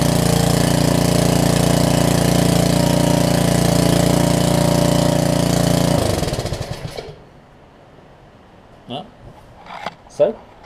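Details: Karcher pressure washer's 6.5 hp Briggs engine, sat a while, run briefly without water: runs smooth and even at a steady idle for six seconds, then shuts down cleanly; a good-running motor.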